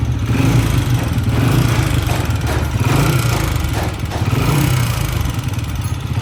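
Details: Old-model Honda CG 125 single-cylinder: rapid metallic clatter over the beat that follows engine speed. Cam gear and connecting rod are ruled out; a worn rocker plate in the top end is fixed with tappet adjustment, no rebuild.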